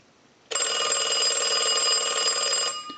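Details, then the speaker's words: Stromberg Carlson Fatboy rotary phone after replacing the unusable bell and rewiring, rung by the analyzer in final checks: bright, steady ring about two seconds, clean and even with no rattle or dropout; bell working properly. "so now what we want to do is start our final checks and we want to go ahead and ring the unit with the analyzer so we'll go ahead and do that we'll let that go a few times"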